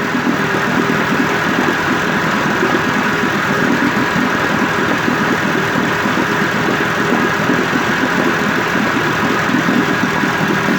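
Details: 1958 Evinrude 18HP Fastwin two-stroke outboard with replacement powerhead, new head gasket, rings, crankpin needle bearings and NGK B6S plugs, on heavy 30-weight oil mix, smoking slightly, cover on. Steady, even burble, constant idle, no misses or knocks: normal idle.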